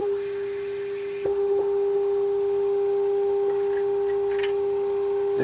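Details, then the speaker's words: 1930s Philco 112-B superheterodyne AM radio, RF high-side adjustment during alignment: a steady pure whistle with a fainter overtone. Very touchy and sensitive to every noise. RF stage oscillation. "as you can hear i'm getting oscillation and as you can also hear very very sensitive to every little noise there is so this one's a tough one"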